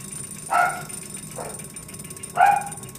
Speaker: Get close, very close to the crank. Where's that noise coming from?